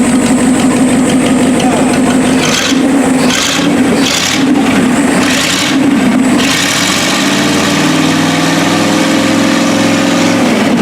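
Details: 1956 Lincoln Y-block V8, ex-tower engine, on battery hookup: catches and settles into an even, steady idle with no knocks or misses; sounds healthy.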